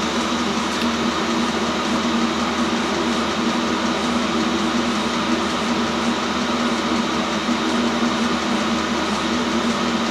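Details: New self-contained Chinese diesel heater on first run, output air 70 °C; steady whooshing fan and even burner roar, no pulsing or sputter; running properly at full heat.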